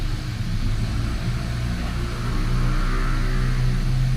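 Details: Hyundai Accent after engine overhaul for oil sludge, bled, start before release: deep steady low rumble with even beat, no knocks or ticks; smooth, healthy petrol idle.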